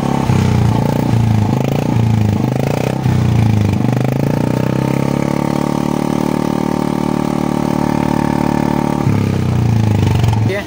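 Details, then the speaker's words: Newer-generation Royal Enfield Bullet 350 (brake on the right side, no self-start): the single cylinder catches and settles to a steady thumping idle with a short rev, no knocking; the owner calls the pickup and sound good; normal start and idle. "Pickup वगैरह सब अच्छा है sound भी अच्छा है"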